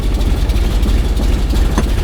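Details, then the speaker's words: 1970 Dodge Challenger V8, off the road 15 years, first start after days of work with a couple of throttle pumps: a deep, lumpy V8 burble with an even beat, no tapping or misfire. Normal idle. "Oh, that sounds good. Oh yeah, I like that."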